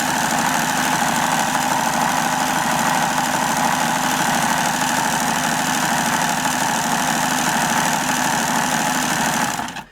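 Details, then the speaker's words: Hobao Hyper7 RC starter box electric motor after regreasing, connected to a battery: loud steady harsh whir with coarse uneven buzz until cut off; motor runs rough, a bit wobbly and loose, unchanged by repair. "I turned this around when the boat was off and I know it sounds a bit rough but it ain't all that bad you know"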